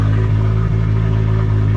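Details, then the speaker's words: Nissan Skyline R33 GTR RB26, first run after enabling injectors and ECU reboot: steady even low rumble, smooth unbroken beat, no knocks or misses. Normal idle. "I do have everything is working good everything is working good so uh yeah finally this thing is actually going"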